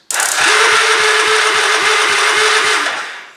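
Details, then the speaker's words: 2002 Yamaha Kodiak 400 ATV, starter remounted after not cranking on the button, on a weak jump pack: harsh whirring crank with even thump about four per second, no firing; rough-sounding starter, then sounds better; cause not confirmed. "works it sounds something awful oh that sounds better now"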